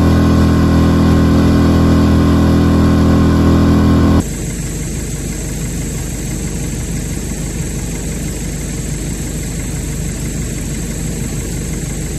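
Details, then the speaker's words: Brand-new Hangkai 6.5 hp four-stroke outboard, bought on eBay, running on a 10 ft jon boat after the over-high idle screw was backed out: steady, even drone with no knocks or misses; started easily and ran well in all gears, normal running. "i'm assuming this motor cranked very very easy out of the box you know it started up good it ran good all the gears did good"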